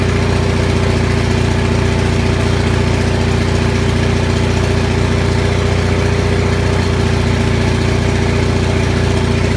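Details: Onan 6500 gas commercial 6.5 kW generator, muffler missing, running fairly steadily with an even low hum and slight unevenness after severely fouled spark plugs were cleaned; it had been popping, backfiring and shaking badly, and the voltage still jumps a bit.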